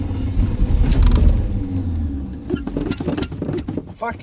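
Long, uneven churning of the starter with the engine repeatedly failing to catch before sputtering bursts; classic hard start, cause unclear.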